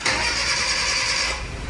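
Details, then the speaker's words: Car, hot after a 15 km drive, owner reports hard hot restarts: starter whirs over a second, failing on first tries, before catching on a longer crank and settling to low idle. Hard hot start; cause unconfirmed. "Nah, ini kita matikan, sekarang kita coba starter. Nggak mau ya dia. 2 kali starter. Nah, coba lagi."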